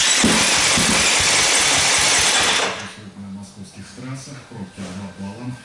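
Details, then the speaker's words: KTM 250 SX-F four-stroke single won't start. Starter spins it fast and light for about three seconds with no firing; low compression from leaking intake valves, confirmed by compression tester before head repair. "смутой потом быстро крутит стартером и когда такое происходит это значит говорит о том что компрессии нет"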